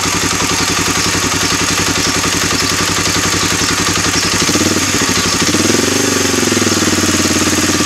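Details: Suzuki DR-Z 250 (K9) at idle: busy, rattly idle with a fast, irregular knock over the thump that carries on through a short throttle blip; engine knocking noise, cause unknown.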